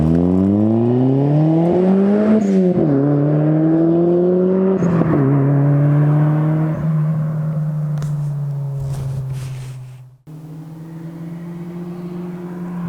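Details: Cold start of a car with a newly installed Spelab performance muffler (2.5-inch inlet, 4-inch outlet), fiber packing not yet broken in: revs climb and fall smoothly with a deep, even drone, no rattles or ticks; healthy exhaust note.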